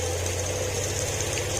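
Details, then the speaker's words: Honda Click 125 after a top overhaul for ticking and smoke (valve clearance 0.010 intake and 0.024 mm exhaust). It has a quick, even idle with no valve tick, just a faint rattle from the loose phone holder. Run only briefly with no coolant yet. "Tahimik na lang. Ang nagpapaingay na lang, inarinig nyo itong kanyang ano, cellphone holder."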